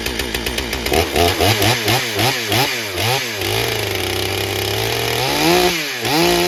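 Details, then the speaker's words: Stihl MS661c chainsaw just rebuilt with forged Wiseco piston, first tank, 40:1 mix, 32-inch bar in soggy poplar: bogs with warbling, burbly uneven four-stroking on first cut, then cleans up to a clean high scream on the second; rich running. "You could kind of hear it four-stroking a little bit on that first cut, and then it started to clean up in the second cut for sure, and really was doing nice."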